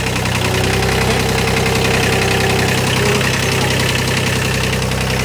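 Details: Warmed-up diesel tractor, started after glow plugs were heated for about thirty seconds: steady, even diesel clatter at constant idle with no misses, knocks or surging; running normally.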